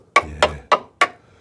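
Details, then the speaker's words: Tap test on the sill (rocker panel) of a 2000 Rover 75 Club 1.8 K-series, bit crusty: four sharp ringing taps about a third of a second apart, crisp bright tone, not the dull sound of rot; solid sill panel. "dull yeah but it's not can you see that yeah yeah yeah I can hear the difference solid dead"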